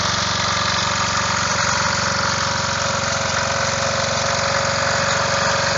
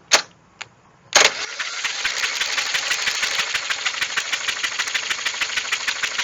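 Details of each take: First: Revived old Snapper riding mower, 12.5 hp Briggs & Stratton single, after years sitting: steady putter at fast idle, firing evenly, no misses or knocks; runs normally. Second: Snapper mower, 12.5 hp Briggs & Stratton, sitting for years: plug out, the starter turns it in labored chuffs about three per second. The engine is tight with a jammed governor, soaked in PB Blaster to free it up; turning somewhat better.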